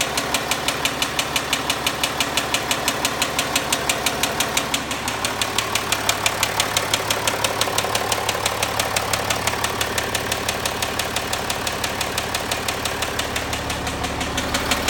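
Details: Land Rover Discovery 4 at 64,000 km, idling: sharp, steady tick about three times a second over the running sound; owner believes it is crankshaft failure, not confirmed.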